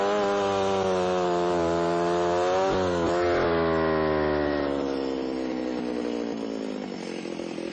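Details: Alpine Magnum trencher cutting a shallow trench in passes of about 4 in, reaching 8–10 in deep: the small engine's pitch sags under load in wet soil, then steadies lower; motor bogging down.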